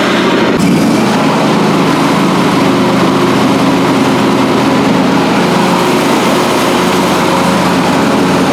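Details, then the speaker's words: John Deere D130 lawn mower after a deck overhaul with new spindles, pulleys and a blade brake repair, blades off: a steady even hum with the deck spinning and no grinding or bearing rumble; much quieter than before. "So I'm happy with that, and I can tell 100% the difference in the sound."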